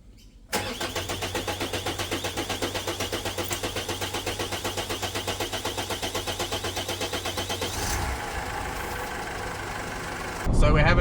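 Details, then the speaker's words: 2022 GWM Cannon L 4x4 diesel at about 50,000 km, fuel light just on: starter churns evenly about four beats a second for seven seconds before it catches; hard starting when fuel is low, owner suspects the in-tank fuel pump, which also whines. "on fuel the engine cranks for ages before it starts um and that's not because I'm out of fuel"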